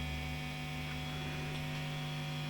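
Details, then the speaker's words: Marshall JTM45 MKII model 2245 reissue valve amp, chassis out and open on the bench during bias pot adjustment, camera near the speaker: steady low buzzy hum at constant level, slightly more or less hummy around a null point; cause unconfirmed. "Yeah, there is a kind of null point there, so that's a bit more hummy there, and there, and that's a kind of minimum point."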